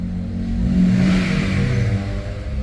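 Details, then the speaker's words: 2012 Honda CR-V third gen K24, cold start, noisy in the mornings; after replacing the actuator gear with a non-original part, engine revs up briefly and falls back smoothly with no rattle or knock; idle expected to drop to 800 rpm once warm. "kung malamig po Natural lang po yan pupunta sa 800 po niyan mamaya Subukan natin i- kung meron tayong nararamdaman Wala naman"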